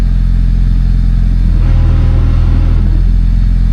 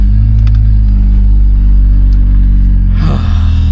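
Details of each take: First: Honda Civic EJ9 hatch after a spare gearbox swap, wheels turning in reverse: heavy low drone with a rough, uneven clatter like gears grinding; release bearing also noisy, cause unconfirmed. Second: Honda Civic EJ9 after a spare gearbox swap, cat still fitted, exhaust catching somewhere: steady low engine drone while reversing, no whine or grinding; the previous horrific reverse noise (straight-cut reverse gears, car possibly unloaded) is gone.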